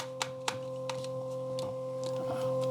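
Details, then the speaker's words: Aiwa HS-PX327/HS-PX527 cassette Walkman playing a tape: steady low hum with higher whine on the left channel, temperamental; owner guesses a leaking surface-mount capacitor, otherwise works. "but still we have this humming noise as you hear but everything else is working apart from this"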